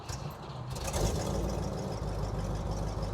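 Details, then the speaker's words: Cadillac 390 V8 with Edelbrock 4-barrel carburetor after new plugs, wires, cap, rotor, coil, water pump, fuel tank and pump, mic worn in cabin: deep, steady rumble with even beat, no misses or knocks; normal idle. "Now you may not be able to hear very well from the microphone I'm wearing, but the car idles really well."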